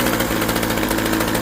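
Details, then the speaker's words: Craftsman 21cc Bushwacker two-stroke hedge trimmer started after sitting close to a year, now at half choke: steady, even buzzing idle with no stumbles or surges; idling smoothly and running fine. "Go to half choke. And there you go. And I'll just let it idle for a minute here."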